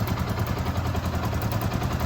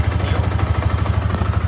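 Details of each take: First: Yamaha R15 v2 started after sitting unused for a couple of years: lumpy, uneven idle with irregular popping stumbles; spark plug misfire, owner says the plug needs replacing. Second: Yamaha R15 v2 single-cylinder motorcycle after sitting unused for years, started with the battery connected: even, steady thump at idle, no misses, crackle or ticking; earlier idle issue and noise appear fixed; normal idle.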